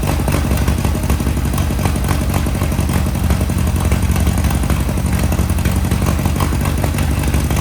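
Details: 1961 VW Beetle flat-four barn find, first start after sitting in a Texas barn, on a 6-volt battery: a steady, even clatter with a strong low rumble and no stumble or sputter at higher revs. It runs clean and the pipes are hot.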